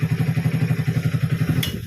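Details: Hero HF Deluxe BS6 fuel-injected motorcycle with a standing (stalling) problem, after a full fuel pump change. A crisp, even single-cylinder beat, steady and unbroken up to shutdown; the engine runs healthy with fuel delivery sorted.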